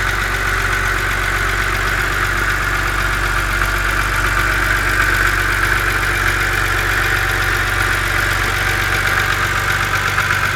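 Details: BMW Z4 2.5si idling cold: a fast, light ticking over the engine's steady even hum.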